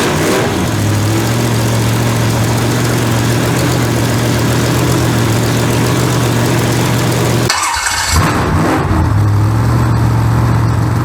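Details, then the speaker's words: Freshly built 283 small-block Chevy with two unlinked carburetors, water just added, idled up to warm it, not yet timed or tuned: loud, steady fast idle with a deep, even rumble and a brief blip; normal idle, untuned. "it ain't tuned yet i will have to get the timing light and put a tune in it but i mean it'll fire so that's good enough and the carburetors aren't linked together so i have to kind of work them both but hey it runs that's that is awesome"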